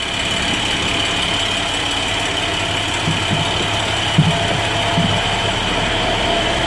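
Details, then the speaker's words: 2011 International DT MaxxForce diesel, 83,000 km, after in-frame rebuild (pistons, liners, rings, bearings, rebuilt turbos, new EGR cooler) for no compression and blow-by: fires quickly with good high-pressure oil, even clatter at steady idle, no misses or knocks; normal idle. "Yeah, no problem firing up. Firing up real quick, so we got really good high pressure oil."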